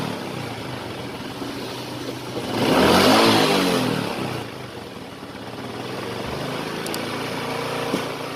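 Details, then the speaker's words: Honda Supra X 125 after repair; the metal-rubbing noise in the clutch housing was caused by a worn bearing. The engine runs evenly, swells smoothly through a quick rev and settles back to a steady idle with no scraping. Normal running. "Nah untuk hasil produksinya sudah normal lagi ya teman-teman dan bunyinya pun sudah halus lagi atau tidak kasar lagi"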